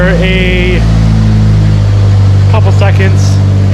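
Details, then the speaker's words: Mitsubishi Evo with a used engine just after its first start; steady, even low rumble settling into a smooth idle, no knocks or misses; oil pressure good at 80 psi, no leaks seen; sounds healthy. "fired up sounds healthy sounds really really healthy our oil pressure is good"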